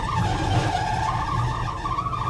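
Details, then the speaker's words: 1980 Dodge W200 3/4-ton 4x4, under 54,000 miles, needing a tune-up: wavering high squeal over the engine's low rumble; power steering squeal, owner calls power steering atrocious. "power steering is absolutely atrocious"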